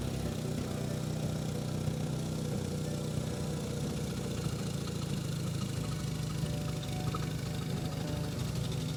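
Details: BMW R1100 boxer engine fitted to a powered hang glider, just after valve adjustment with new lifter and vacuum-gauge synchronization, spark plugs torqued to 20 Nm: steady, even idle with a low regular thrum, no knocking or misfire; runs smoothly.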